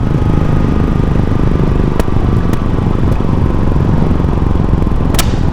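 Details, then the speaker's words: Yamaha Serow 250 (DG17J) air-cooled single with nearly 100,000 km, on a road test: steady drone with loud bangs from the muffler when decelerating on a closed throttle. The exhaust air-injection system re-burns gases, but this afterfire seems too loud. "There's a large afterfire. This year's Serow's exhaust gas purification system draws outside air into the exhaust pipe to actively re-burn unburned gases."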